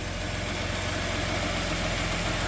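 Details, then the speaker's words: 3.0 V6 transplanted into a '91 Dodge Caravan idles smoothly and evenly with a low, steady hum on its first start after 19+ years. It runs on all six with no ticking or knocking, just a slight exhaust leak. "No ticking, no knocking, no noise, nothing. It's just purring."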